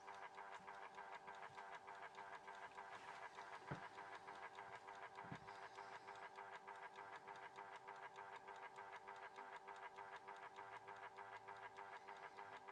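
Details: Horstmann VA Mk9 SRS2 rate changer time switch, 240 V 50 Hz synchronous motor, just plugged in: constant motor whirr with quick regular escapement ticking because the spring reserve was unwound; the solenoid holding coil would otherwise stop it. Normal motor whirr with escapement ticking.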